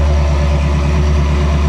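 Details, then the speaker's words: Ferrari 360 idling after a misfire fix (previously misfiring with no check engine light despite new cylinder 7 coil): smooth, strong, even pulse, steady low drone, no stumbling or skipped beats; already sounds much better. "Oh, yeah. It already sounds so much better."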